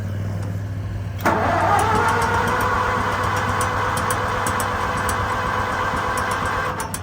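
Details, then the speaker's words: Farmall M tractor, choke out: steady starter cranking about four turns a second with no firing or catch; owner suspects ignition points, not confirmed. "Throttle. I don't know. Probably gonna have to go checkpoints. That's not doing anything."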